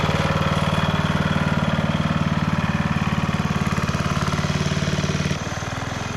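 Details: 1991 MTD 12/38 riding mower under restoration, just fired right up: steady, regular single-cylinder idle about three to four beats a second, even and smooth before settling lower; normal idle.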